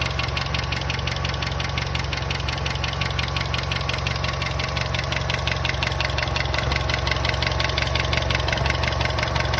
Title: Astra J 1.4T A14NET weird engine noise